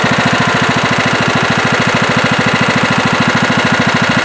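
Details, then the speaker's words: Late-1990s Scotts lawn tractor, single-cylinder Kohler engine, after carburetor cleaning to cure surging: even, steady low idle with regular firing, maybe a slight hiccup, slight surge at first start; now running smoothly. "seems to be running a lot better now when i first fired it up it did have a little bit of a surge and maybe it still has a slight hiccup but it's pretty good really smooth there low idle also"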